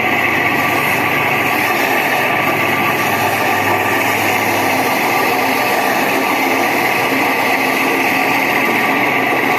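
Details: Window AC fan motor running; steady, loud whirring hum with a rough, gritty edge throughout from worn fan motor bearings, cooling otherwise fine; motor then opened and bearings replaced.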